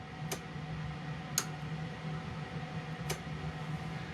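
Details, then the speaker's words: 2019 Ford E-350 ambulance with non-factory HVAC controls not working: three sharp relay clicks over a steady electrical hum as a white wire is jumped to ground, relays pulling in and roof lights brightening. "but everything else including the the light up the uh display lights on this and you'll hear clicking and then the lights on the roof right here will get much much brighter"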